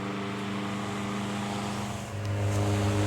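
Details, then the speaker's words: 1925 GE AOU AE1 oscillating desk fan, pot metal gearbox, zinc bell, before restoration, started on high: slight cage vibration that goes away, then smooth steady low hum with very little whine; healthy motor. "Super smooth runner. Very little GE whine."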